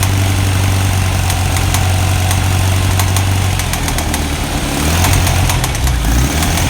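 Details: 1991 Kawasaki ZZR1100 bought as spares or repair and being revived: an idling engine with sharp, irregular ticks and clacks over the low throb. Abnormal mechanical noise, cause undetermined.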